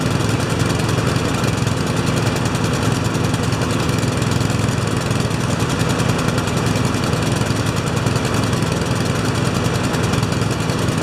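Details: Honda walk-behind mower engine after tune-up (blade sharpened, oil changed, spark plug cleaned, new air filter), restarted on choke: fast, even, steady beat with no misses or surging; runs cleanly.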